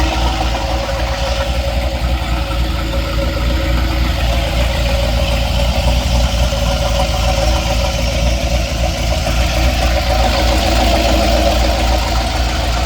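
Idling engine with a loose, irregular knocking of about three or four a second over a low rumble; source not identified.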